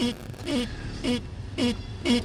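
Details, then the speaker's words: 2005 Dodge Grand Caravan steering: five short rubbery squeaks about every half second as wheel is turned, depending on direction; dry steering shaft seal rubbing rubber, fixed by lubricating. "that's what's going on that's what they're hearing depending on what way they turn that is a steering shaft seal and it's just dry rubbing up against rubber"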